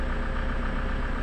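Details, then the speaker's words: Toyota Innova 2KD diesel after repair and ECU replacement, rail pressure reaching about 29,000 kPa on cranking, starts easily and idles with a steady, even low rumble with no knocks or misses; normal idle. "ini Min sudah bisa hidup m sudah bisa hidup blueprnya sudah muncul sudah bisa muncul"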